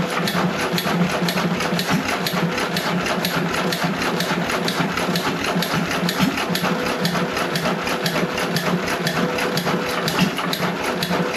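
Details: John Deere 1.5 hp hit-and-miss single-cylinder gas engine first run after repair, no water in hopper, barely warm: quick even popping-and-coasting beat, no knocks or bangs; normal hit-and-miss running.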